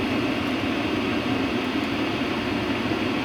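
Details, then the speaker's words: WIPPRO diesel heater warming up on high (power level 9) for a camping ARB room, 43°F outside, shotgun mic about 3 feet away: smooth, steady blower air rush with no fuel-pump ticking audible. Normal blower running. "I can't hear any ticking from that fuel pump. Yeah, I can hear the blower, of course, but no ticking whatsoever."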